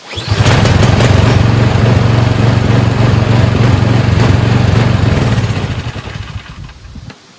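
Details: Husqvarna snowblower, newly fueled, catches after a couple of pulls and holds a steady, even low putter without misses, then winds down; engine runs fine.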